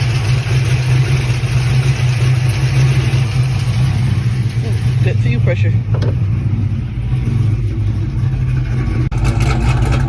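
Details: Pontiac GTO engine running with a steady, even low rumble, no misses or knocks, a few clicks partway through; running smoothly, though fuel pressure had read only about 10 psi.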